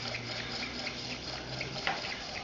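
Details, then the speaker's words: Small coaxial hot air engine running on residual temperature difference after the heat is removed; soft, light regular ticking, turning evenly: normal running. "as with all hot air engines when you take the heat away it will continue to run as long as there's enough temperature difference"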